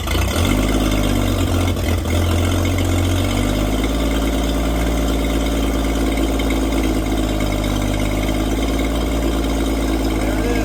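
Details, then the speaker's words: 1954 International Metro van, engine just installed, fuel system not hooked up and fuel pumped straight into the carburetor: catches after a short crank and settles into a steady, even idle. Normal idle. "I I don't have any fuel system hooked up, so I was just pumping fuel into the carburetor, but it seems to work and it starts up."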